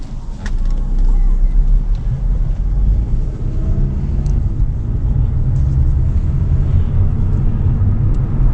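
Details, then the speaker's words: 2018 Hyundai Elantra on a test drive after new front brake pads: steady road rumble slowing to a stop with no squeal, grind or scrape; it stops well and stays straight, so the brakes are quiet. "don't hear no squeaking. Comes to a good stop, vehicle stays straight. That's what we're looking for."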